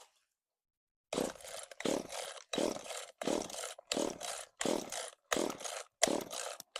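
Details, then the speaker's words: Echo CS-3450 chainsaw first start after replacement carburetor and new primer bulb, carb not yet adjusted; catches and runs in uneven surging bursts about every three-quarters second, choke stuck on; running on choke. "Oh, there is life. Uh oh. Now the joke stuck. Well, it started, but now my choke won't go back in."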